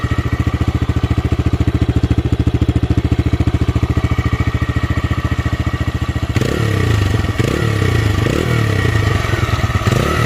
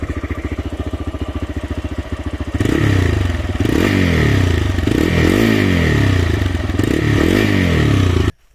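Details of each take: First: TVS Raider 125 single, old bike at about 28,875 on the clock, compared with a new bike: even deep thumping beat, then smooth throttle blips, no knocks or rattles; healthy. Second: TVS Raider 125 single-cylinder motorcycle at about 28,875 km: lumpy idle with fast light ticking, then revving with a metallic "ting ting" on top; ticking valvetrain noise, not confirmed.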